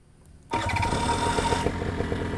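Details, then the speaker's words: Vittorazi Moster EFI two-stroke paramotor, six litres in the tank, started with a double tap after pre-flight checks. It fires right up and settles into a steady, even buzz: a clean, healthy start. "fires right up so I'll show you the safe start real quick"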